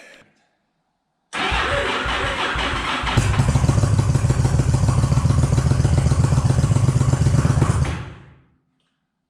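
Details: 2001 Yamaha V-Star 1100 after starter sprag replacement and cam gear timing correction: starter spins the V-twin about two seconds, then it fires and settles into a steady, even lumpy idle before shutdown; healthy start.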